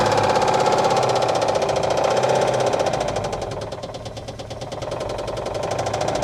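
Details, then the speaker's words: 1959 Oldsmobile 98 coupe V8, first start after purchase, fed from a temporary fuel tank and fuel pump, smoke from spilled power steering fluid on manifold: rough running with steady knock about four per second, sounds super dry; engine knock, cause unconfirmed. "but man that doesn't sound happy just sounds like super dry"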